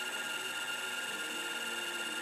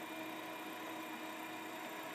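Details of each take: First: MFM hard drive in a 386 system crammed into an IBM XT case, after low-level format during media analysis: steady whine with fast back-and-forth head seek chatter across the platters; abnormal seeking, cause unknown. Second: Hard drive in an IBM XT case with a 386 motherboard, after swapping the 130 W supply for a 200 W one: faint steady whine over a soft hiss with no clicks; spins up and boots normally.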